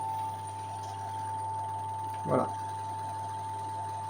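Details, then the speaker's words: Brandt LG534 washing machine after capacitor replacement, final spin phase: steady low hum with a thin constant whine, the drain pump running empty; normal drain pump running dry. "Alors le culement c'est normal, c'est la pompe parce qu'elle est vide."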